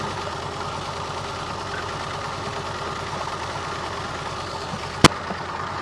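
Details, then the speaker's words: Long-abandoned Renault Alpine V6 Turbo, PRV V6 engine, just restarted: uneven lumpy idle with irregular stumble under steady hum; spark and power confirmed, owner suspects a stuck fuel injector causing misfire, possibly others stuck. "और मुझे लगता है कि यह एक अटका हुआ इंजेक्टर है । मैंने इसे अभी हटा दिया है और कुछ भी नहीं बदला है, इसलिए यह इंजेक्टर अटक गया है।"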